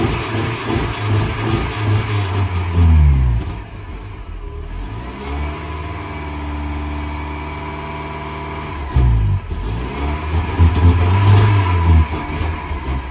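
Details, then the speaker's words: Mercedes-Benz 190E with fuel fed directly into the engine. It catches and revs unevenly, sags, then flares again, running only on the directly fed fuel; a small coolant leak was also noticed. "So I just gave it a little bit directly. Now it will start, but it will not run maybe."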